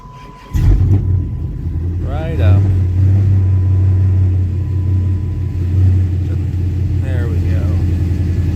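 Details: SRT8 6.1 V8 after a billet thermostat housing install, cold start after sitting weeks in snow: brief crank, catches at once and settles to a steady, deep idle with no misses or whine. Normal cold start.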